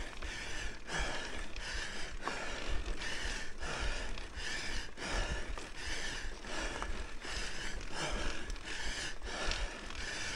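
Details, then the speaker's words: Mountain bike climbing a long steep trail in North Carolina: a regular dry click about every two-thirds of a second with pedal strokes as the chain rubs the chain keeper, set up on purpose to signal the rider is out of gears. "we hear that clicking sound my chain rubbing against train keeper did that on purpose to let me know that I am out of Gears"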